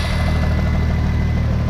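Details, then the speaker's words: 1997 VW Jetta VR6 idling: thin steady high whine above an even idle from the power steering pump; the gearbox also reportedly has a clatter. "whining so it looks like i have a fair amount of work to do to get this car to the condition that i want"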